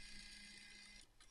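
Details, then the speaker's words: Game console disc drive after cleaning and reassembly, power-on test: rough high buzzing whir that stops abruptly, then scratchy stutters; disc won't load fully and console beeps three times as if no disc is present. Cause unconfirmed. "oh I don't know if you can hear that making a really weird noise that's not good disc isn't doing anything and it's beeping three times as if the disc isn't in there"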